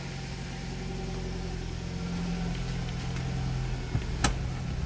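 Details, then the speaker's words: Nissan Grand Livina automatic at idle during a pre-purchase inspection, shifted into R then D and back to N: engine note shifts slightly as each gear engages, no clunk or jolt; transmission engages normally. "motornya kalau matic Normal itu kita pencet masukkan transmisi misal Er Dia langsung respon suaranya membedakan terus kita masuk denah suaranya juga berubah"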